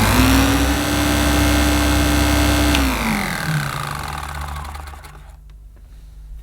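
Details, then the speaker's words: Hoover Enigma Evo 350 W bagged upright vacuum, run with the cover open and a sealed motor: smooth, even motor hum with a steady mid-low tone, no rattles or grinding, then a clean spin-down; very quiet, normal running. "well what i will say it is the quietest hoover pure power slash enigma i've ever switched on that is so lovely lovely sounding"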